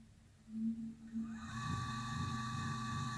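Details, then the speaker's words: Colchester Chipmaster lathe three-phase coolant pump run on single phase via a capacitor: low hum about a second before slowly winding up to a steady whine; slow start because the capacitor is too small, though it runs. "as you can see and as you can hear it started up a bit slow because the capacitor is not the right capacity it should be a lot larger but it does run"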